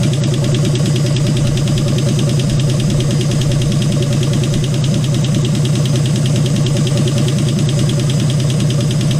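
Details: 1951 Hudson Hornet's AMC 199 engine, just reassembled and running with oil leaking: loud, close run with fast, fairly regular light ticking over the low rumble; valvetrain noise suspected from worn valves with too much clearance, not confirmed.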